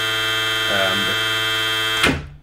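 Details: Steady high electronic whine from an outrunner motor on VESC firmware 6.00 beta 40 using silent HFI sensorless control, wavering briefly through repeated forward/reverse direction changes at full current, then cutting cleanly to silence; motor and drive healthy.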